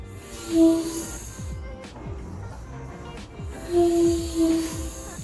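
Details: 2007 Toyota Innova rear hatch giving short pitched squeaks that rise and fade as it moves, from the tailgate gas strut, before strut replacement; light background music.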